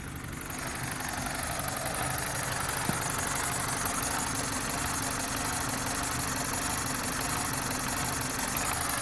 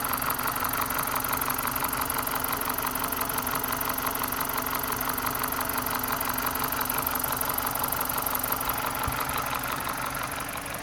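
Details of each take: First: BMW 318Ci Cabrio, 2.0 N46B20 150 hp petrol, idling rough: cylinder 4 keeps misfiring despite new coil, new spark plug and 14.7 compression; uneven stumbling idle caused by an intake air leak. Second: BMW 318Ci Cabrio 2.0 N46B20 150 hp, earlier cylinder 4 misfire from an intake vacuum leak (new coil and plug, compression 14.7, trim +15): steady, even idle with a regular pulse and no rev hunting, engine idling smoothly.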